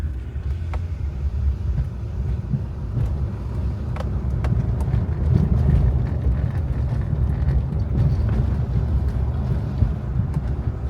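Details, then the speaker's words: 2007 Hyundai Santa Fe 2 driven over potholes after fixing loose rattling front brake pads: steady low road rumble with no metallic clang from the front brakes, only a slight jingle possibly from the glovebox. "Жодного дзвону, жодного. Щось зеленчить трошки. Десь там уже в бардачку, може тут десь. Але того дурного дзвону нема."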